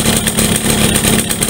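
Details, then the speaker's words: Yamaha V75 two-stroke, hot, weak with poor idle and struggling on climbs: runs rough and uneven with a choppy, rattly beat instead of a clean buzz; suspected loose, worn piston and worn connecting rod, needing oversize rebore; rough running. "nah ini kalau panas juga kasar nah ini perkiraan kita di bagian pistonnya udah lobok teman-teman ya bagian pistonnya lobok waktunya minta naik OS lagi"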